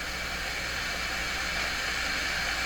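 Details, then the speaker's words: Telefunken Jubilate Delux 4561W AM/FM/SW tube radio on a dim bulb tester at first power-up: steady even FM hiss across the band with no station, as the antenna was not properly connected. "so maybe I didn't get the antenna right gosh yes I did not did you hear that this thing is just hopping"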